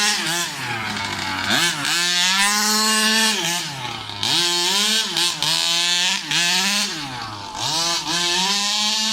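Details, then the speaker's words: New Rovan 36cc double-ring two-stroke in a King Motor Baja 5B, warm, head gasket removed: high buzzing scream up through the revs in repeated full-throttle pulls, dropping back between them, pulling hard and clean. "How is that? That is the power that I was looking for from a 36cc, man."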